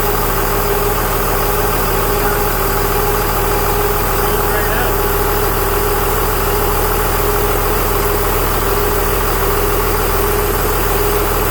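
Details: 2001 Cummins turbo diesel in a 1952 Dodge M37, first start idle: a thin constant whistle, unchanged with the engine, from the A/C compressor, clutch stuck always on, blowing through open lines; clutch later freed.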